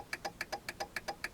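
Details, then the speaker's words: 2000 Jeep Cherokee XJ: fast even turn signal flasher clicking, about eight a second, with no exterior lights or dash indicator blinking; stops when the switch is touched. A faulty turn signal switch is suspected of causing the hyperflash; a replacement switch is being fitted. "There's no indicator on the dash blinking, but the flash is going like crazy."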